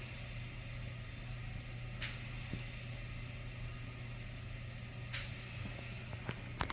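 A steady, even airy hiss over a low constant hum with a few faint clicks: wall suction running normally with the tubing occluded.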